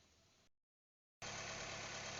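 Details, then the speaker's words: Honda City engine idling smoothly and evenly after replacing a noisy tensioner bearing; steady hum with no squeal, rattle or knock. "guys nai kabit na natin yung tensioner bearing at naririnig niyo ba yong tunog ng makina smooth na smooth guys"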